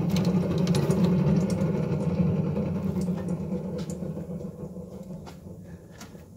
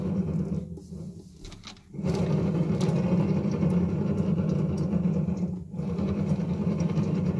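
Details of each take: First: Haas ST25 lathe running, listening at the spindle bearing housing: steady low hum with no grinding or knocking, spindle bearings smooth; the fault is instead the failed motor bearing. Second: Haas ST25 lathe spindle motor run isolated: loud, rough, gritty grinding rumble from a failed motor bearing; spindle bearing housing is smooth.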